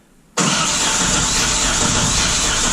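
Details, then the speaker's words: 1989 Chevy K1500 4x4 with 4.3L V6, 5-speed manual and 179,000 miles, scoped while cranking: the starter beat is uneven and lopsided as compression strokes drop out. Two neighbouring cylinders are dead, likely from a blown head gasket between them. "so it looks to me that cylinder two and four right next to each other are both dead so the head gaskets probably blown between the two of them"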